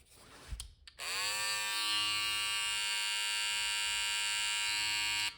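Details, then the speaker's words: Babyliss Pro FX Rose Gold trimmer after installing the FX708Z replacement head to fix a loud noise, possibly from the cam follower: a click, then a steady, even high buzz with no rattle or chatter, far quieter than before. "That sounds 10 times better than it ever did."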